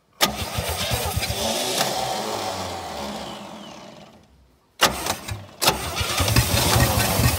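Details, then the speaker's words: 1967 Chevy C-10 after fuel down the carburetor: sluggish uneven cranking, brief catch and fade, then labored crank; starter appears to be going out. "oh man well at least we got to fire a little bit that starter's going now"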